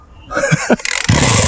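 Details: Two-stroke weed whacker running on a 25:1 or 50:1 fuel-oil mix that would not start, now started after 50+ recoil pulls with the fuel valve fully open: a quick burst of firing, then it catches and runs with a buzzing, even note. Normal starting.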